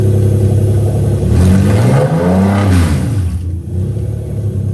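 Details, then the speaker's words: 1JZ-GTE non-VVTi in a Lexus IS300 on a Syvecs S6 GP ECU with plug-and-play JZ Modular harness, first start on dumb coils: catches quickly, high idle about 1500 rpm, revs up and down smoothly, no knocks or misfires; runs normally. "So yeah, starts, runs, everything is gravy."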